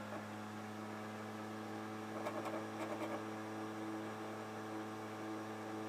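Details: Xbox 360 Slim with an old game disc: quiet drive hum with quick cluster of ticks and scraping; DVD drive grinds slightly while the laser moves back and forth very fast.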